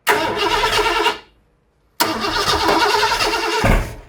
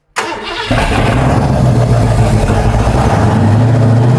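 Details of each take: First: Ford 460 big-block V8 after camshaft install, first fire-up: two rough start attempts catching unevenly with sharp pops, backfire and a heavy thump; ignition timing one distributor tooth out. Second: Ford 460 big-block V8 at first fire-up after a camshaft install: strong, steady fast idle around 2000 rpm, even and smooth with no misses or knocks; a cover leaks slightly on one side.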